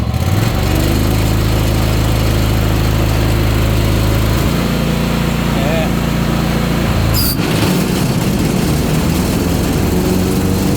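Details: Ariens Apex mower with Kohler 7000 series twin, 238–239 hours, oil checked, owner reportedly changed spark plugs and fuel filter: uneven lumpy idle with a loping beat and irregular chuff; one cylinder out.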